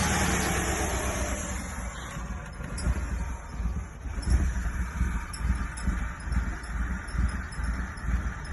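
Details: Mitsubishi Eclipse 2G with 420A engine that won't start and idles weird: idle rises and sags unevenly with ragged dips, wind hiss behind; rough idle, cause unclear.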